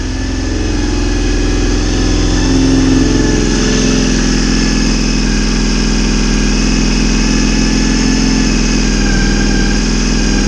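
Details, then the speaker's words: Honda VFR400 V4, long stored outside, running with the airbox on after a restart with a touch of throttle: steady fast throb, slow to fall back after a blip; owner suspects a carburettor diaphragm causes the hanging revs. "See, that hanging up could be that diaphragm."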